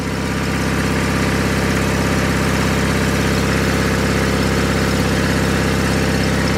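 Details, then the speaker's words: 49-year-old John Deere 318 garden tractor, previously repaired after engine failure, revved to fast idle: even firing with steady pitch, running healthy; the charge light goes out and it charges at 14.2 volts. "Rev it up. Now it's charging. The charge lights out. So, that one is working."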